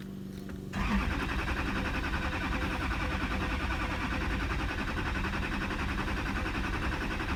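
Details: 2008 Chevrolet Duramax LMM diesel, 224k miles: starter kicks in and spins steadily for six seconds without catching; crank no start after shop replaced oil pump, water pump, fuel filter and housing.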